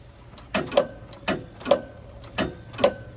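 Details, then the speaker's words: Toro TimeCutter zero-turn mower bought a couple of weeks earlier: sharp double clicks about every three-quarters of a second with no cranking after them; no-start caused by the blade switch being engaged, so the safety interlock blocked starting. "I just bought this couple weeks ago, but it wouldn't start. And I knew it was giving me a click."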